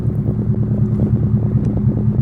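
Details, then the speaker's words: 1993 Proton Saga Iswara, barn-stored, running at idle with no exhaust fitted: steady, even tick-over with a loud, unmuffled low rumble and puttering pulses; engine runs and drives fine, clutch has lots of play, gear sticks, exhaust missing. "the clutch well there's a lot of play in that but it moves it starts it runs it drives it needs an exhaust that gear sticks a bit"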